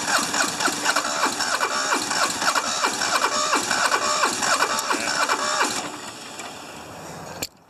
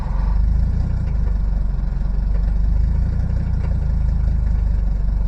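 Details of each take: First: Hinomoto diesel tractor, once stuck, cold start at about 40s °F with glow plugs fed by a jumper wire, good battery: long rhythmic cranking at about 3.5 beats a second before it catches. Hard start; owner suspects injectors, compression unknown. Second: Cold start in Texas winter after two glow plug cycles, diesel (tractor, Mercedes 300D or Detroit two-stroke) with a cylinder that had been dropping in and out now caught: deep, steady idle with even beat, all cylinders firing while warming; normal cold idle.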